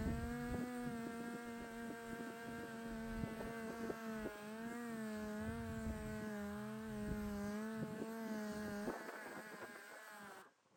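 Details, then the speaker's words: Air polisher with rubbing compound on a fiberglass travel-trailer body repair, fed by a compressor too small for the job. Its whine sags, wavers and winds down under use, then has to wait for pressure to build. Air tool slowing from low air pressure. "My compressor's too small for this, so I've got to wait for it to build up pressure. You can hear how much it winds down as I'm using it."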